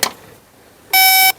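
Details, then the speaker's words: 2016 Mercedes E-Class that would not start: a blown 30 A fuse was replaced with a new 30 A fuse. The test probe gives a single steady beep of about 0.4 s, showing continuity on both sides. The fuse is good. "yep, see both sides of the fuse now. You get the light signal."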